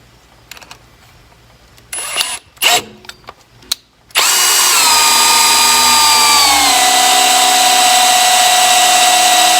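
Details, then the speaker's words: Fox-body Mustang engine primed with a drill-driven oil pump driveshaft primer: handling clatter, then a steady high drill whine that drops in pitch as oil is drawn up and the pump loads; oil pressure afterward read past 40. "Okay guys, you can probably hear it when the oil got sucked up. The drill kind of slowed down."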